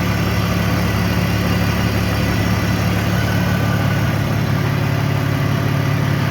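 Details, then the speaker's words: BMW X5 with rebuilt M54B30 engine, warm after a few heat cycles: smooth steady idle with an even low hum, no ticking, knocking or lifter clatter; sounds normal, though an unlocated heat shield sometimes rattles. "But yeah, if you ask me, this sounds pretty much perfect, no extra noises or anything."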